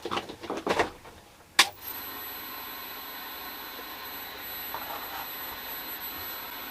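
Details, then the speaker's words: Toshiba C1821 18-inch CRT television from around 1979: a sharp crack as a RIFA filter capacitor bursts, then the set keeps running with a steady high-pitched whistle. "I think Mr. Reefer's done his little explosion and that's it. I think we let all the smoke out the first time."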